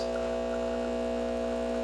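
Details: Breville Barista Express espresso machine after a completed full service, test shot: steady, even pump hum with constant pitch and no rattles or surging, pressure reaching about 8–11 bar; normal pump operation.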